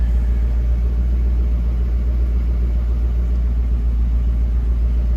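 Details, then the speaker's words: 1966 Ford Mustang convertible, started with two to three accelerator pumps: deep, steady low rumble at an even pace with no surging or stumbling, idling in gear, much improved over the earlier improper choke/high idle; normal idle. "That's pretty decent. That's light years above where we were, too. In gear and everything. I like it."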